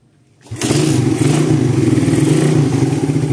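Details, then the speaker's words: Suzuki Satria FU 2014 after repair of a failed bore-up with seized kick starter: fires up sharply, crisp even exhaust beat revving with no knock or rattle; thick smoke is carbon deposits from worn valve seals, engine normal and responsive. "mesinnya sudah responsif ya."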